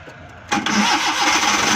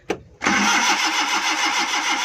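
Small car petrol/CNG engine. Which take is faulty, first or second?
second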